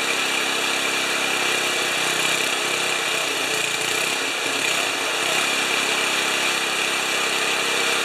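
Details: 1973 Tecumseh snow blower engine, first start after carburetor reinstall, on choke. Catches and settles into a steady, even buzzing run, no knocks or misses; normal running.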